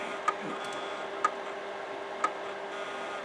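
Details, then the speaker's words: Imation LS-120 SuperDisk drive bought used: sharp single ticks about once a second over a faint motor hum, endlessly recalibrating the head and never reading the SuperDisk. "Yeah, it's just constantly recalibrating. It's constantly. Yeah, that's not too good."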